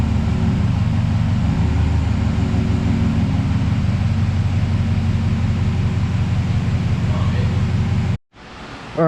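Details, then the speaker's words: 2008 Chevrolet Silverado V8, high mileage, after AMS Racing AFM/DOD delete kit to fix lifter tick, fresh 10W-30 oil: deep even idle with steady low rumble, no top-end ticking; running good. "Everything looks good. It's running good."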